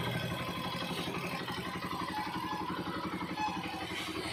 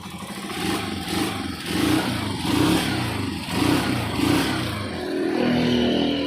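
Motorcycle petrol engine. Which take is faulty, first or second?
second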